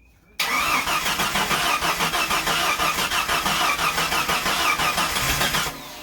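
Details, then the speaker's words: Jeep YJ after 4.2 to 4.0 engine swap, first start, O2 sensor unplugged, loud exhaust; fast loud exhaust beat holding instead of dropping back. Owner suspects high idle, unsure due to exhaust noise. "Think we might be suffering from a little bit of a high idle. I don't know though. Sounds like it. It's hard to tell though because the exhaust is loud as [ __ ]"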